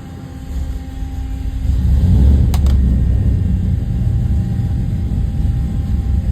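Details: 534ci big-block Chevy V8 on the engine dyno, a fresh build getting final adjustments. Full-throttle pull: a deep, heavy exhaust roar climbs in pitch and holds strong through the sweep, smooth with no misses. A healthy pull under load.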